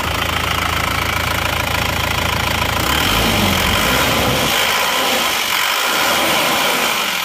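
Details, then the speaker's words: Isuzu Panther diesel after replacing liners and piston rings, idle with brief throttle blips: even clatter that shifts with throttle then settles, no heavy knock; normal healthy idle after repair. "setelah diganti seker ganti r seer dan liner itu bunyinya seperti ini teman-teman suara mesinnya seperti"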